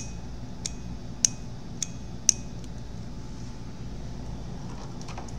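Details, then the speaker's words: Noco GBX45 jump starter booster relay bench-tested at about 12 V supply: four sharp relay clicks about once a second over a quiet hum; coil pulls in but contacts stay completely open, no boost voltage. "to resistance still open when the relay click it should go to the the point to this point should be connected"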